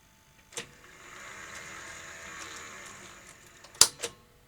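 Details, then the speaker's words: Sony UVW-1200P Betacam SP player, tape laced up: a click, faint motor whir about three seconds and two sharp clunks, but the cassette fails to eject; owner suspects a front-loading (cassette carriage) issue, not confirmed. "hmm it definitely seems to be a front-loading issue"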